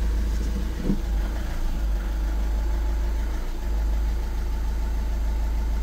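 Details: 2011–2012 VW Passat estate with 1.6 TDI CAYC diesel, idling after a major service and oil change: steady, even low diesel clatter with no misses, knocks or hunting. Healthy.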